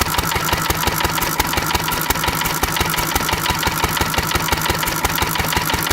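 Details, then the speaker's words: Antique stationary engine running on a mostly Sea Foam fuel mix with the mixture screw set richer than for gasoline. Heavy regular thumps, about three per second, with a hard knock each beat; it shakes badly, runs rough and keeps knocking, with white smoke puffs. "they're shaking so much she keeps knocking"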